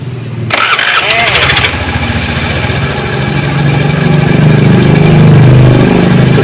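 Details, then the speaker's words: Honda Beat scooter after starter motor repair, worn bushing, brushes and armature housing replaced, tested five times: short, clean starter whir catching straight into steady idle, smooth, no grinding, motor strong enough again; normal starter cranking and start. "hasilnya Alhamdulillah halus dan dinamo sudah kuat lagi untuk mengangkat starter ya"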